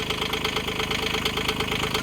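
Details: Digger diesel just after a 1,000-hour service, new fuel filter bled of air, fresh engine oil: steady, even idle with a fast regular clatter and no misses or uneven beats; running healthy.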